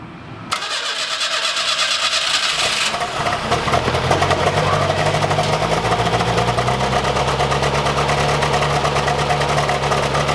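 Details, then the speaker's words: 1985 Pontiac Fiero 2M4, first start after an engine rebuild: it cranks, catches, then settles into a lumpy, stumbling idle. Fuel delivery, valves and distributor position seem fine; cause unknown. Smoke attributed to unburnt fuel after the rebuild. "while we vet sounds like hot garbage something obviously isn't right"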